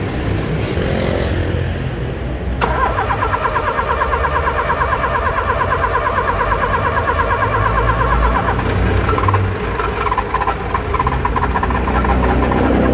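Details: Car engine on key start: rapid uneven tec-tec clicking, about three a second, repeats as the key is turned; the engine never catches. Starter clicking, no start, cause unknown.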